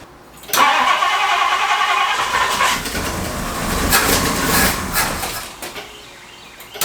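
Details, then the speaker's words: 1962 Ford Thunderbird Landau that sat for years, first start after replacing the fuel pump: it cranks briefly, catches and settles into a fairly even idle; a normal start. "And we're running. You just never know when you get in these things what's going to happen."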